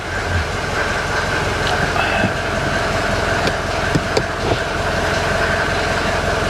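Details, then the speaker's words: 1983 Mercedes 240D diesel idling after start-up: steady, even diesel clatter with no misses, knocks or hunting; old diesel sounds healthy. "It still sounds like a real diesel, too. When you stand behind it, boy, it smells like a diesel."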